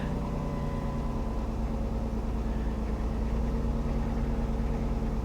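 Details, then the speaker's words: 3.8-liter car at a salvage auction yard with a rough-looking battery, jump-started; fires up and idles with a quiet, steady low hum, even beat, no knocks or misses: normal idle. "all right moment of truth it's gonna fire up guys i know it will yep yep yep"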